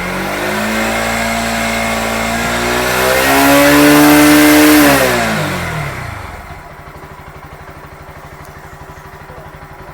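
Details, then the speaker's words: Bajaj Pulsar NS160 BS6 after fuel pump cleaned of dust blockage/water, idle around 1.5: pulls up smoothly under gentle throttle, no hesitation, then drops to steady even idle; normal throttle response, starting and pickup problems fixed. "அவ்வளவுதான், பிரச்சினை தீர்ந்தது. இந்த NS 160-ல் இருந்த start ஆவதில் உள்ள சிக்கல் மற்றும் pickup பிரச்சனை ஆகிய இரண்டையும் நாங்கள் சரிசெய்துவிட்டோம்."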